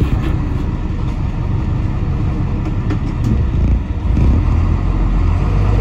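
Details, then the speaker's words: 1988 International/Thomas school bus diesel, sat in a junkyard for years, after freeing a stuck governor, air built to 120 psi, trying to drive out of a mud rut: deep, steady rumble rising under load, no misses or knocks; runs well. "the good news is you know we got the governor freed up and she built air pressure she runs great fires right up"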